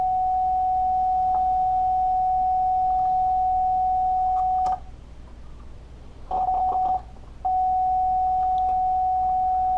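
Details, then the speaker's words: Marshall Lead 12 guitar amp that cuts out after playing a while. A steady test tone drops out twice for a second or so, then returns. This is intermittent signal dropout, suspected from a poor ground connection at the input jack, to be resoldered. "what I found when I was toting around before is that the ground connections here weren't all that great especially this the ground connector coming in here"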